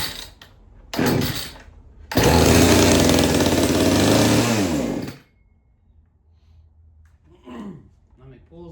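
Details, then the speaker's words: Chainsaw unused for probably about a year, fuel system primed, drop-started: a few pull-cord rasps, then it catches and runs with a rapid steady buzz for about three seconds before dying down; starts readily. "We try to crank this monster. This is the first time tried to crank it and I don't know, probably to a year."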